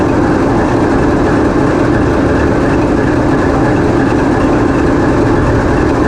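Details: TEP70 0237 passenger diesel locomotive on test run after repair, microphone in diesel compartment: loud, steady heavy drone with even low roar, no knocks or surges; engine running smoothly under steady load.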